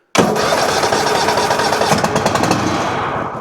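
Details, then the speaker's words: Toro Titan MX5400 Kohler Confidant 23 hp V-twin, one plug lead off for testing: fires with ragged uneven running a few seconds then cuts out and dies; spark good on that side, other side suspected, later traced to failing ignition coil. "And it fired up for a second and then it died right back out."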